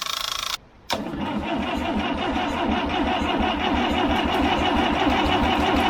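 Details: International B414 four-cylinder diesel tractor, left sitting by a pond for 20 years, after the glow plugs were tried: the starter churns steadily at about three beats a second but the engine never catches; cranks without starting, and ether is next.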